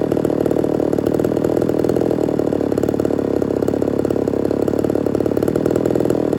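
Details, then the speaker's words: Ported Homelite Super XL-130 chainsaw on its final test run: fast, even two-stroke idle burble, steady without stumbling or surging; normal idle, oil and running good. "other than that everything seems to be in working order oil's good runs good"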